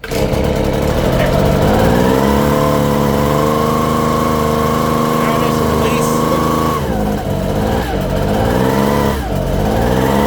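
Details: Echo PB-250 two-stroke blower (50:1 fuel), started at full throttle: a high buzz whose pitch sags and hunts as the throttle eases. It won't stay running off throttle; owner suspects the fuel mixture screws.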